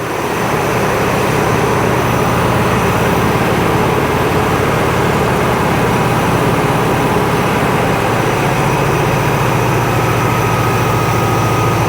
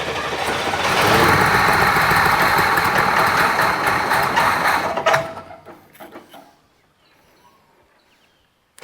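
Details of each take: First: International Scout on a new carby, with an H-clamp restrictor squeezing the fuel line because the mechanical pump was overfuelling. Idle picks up after clamping: steady, even low drone that holds without hunting or stumbling; now idles normally. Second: International Scout on a newly fitted carby; the mechanical fuel pump delivers too much fuel, and the owner wonders if the jets are too big. Catches and runs unevenly for about five seconds, then stumbles and dies; running very rich.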